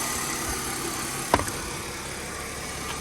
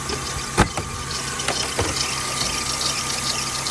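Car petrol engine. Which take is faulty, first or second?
second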